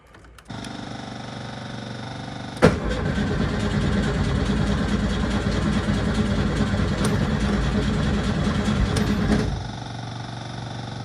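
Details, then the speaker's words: 1972 VW Super Beetle, parked a week with battery problems, on trickle charger since the day before: steady buzz of a noisy fuel pump, then about seven seconds of even cranking that never fires; owner suspects no spark. "out of gas weird fuel pump's awfully noisy got nothing how weird is that what in the world what in the world it's like there's no spark or something"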